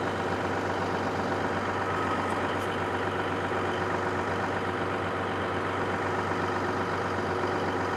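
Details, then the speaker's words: Caterpillar SS250 soil stabilizer 3406 diesel, sat 5–6 years, just started unprimed; steady even low rumble beating about four times a second, no knocks or misses, about 40 psi oil pressure; healthy idle. "Hard to beat that. .40 psi of oil pressure. Very cool."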